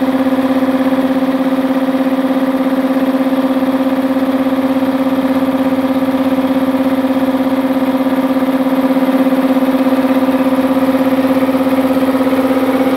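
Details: Multipro 2 HP (2.2 kW single-phase) air compressor after cleaning dirt from the check valve, filling tank: even motor hum with smooth regular pumping beat, no knocks or hissing leaks; leak fixed, normal.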